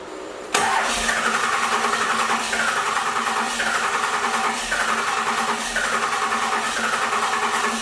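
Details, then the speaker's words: First-gen 12V Cummins cranking with no start: steady cranking with a slow, even pulse about once a second and no firing. The VE injection pump is leaking, at about 12–13 psi against its 13 psi rating. "but yeah that pump is just leaking right there that is our problem that is why we cannot believe these freakin lines"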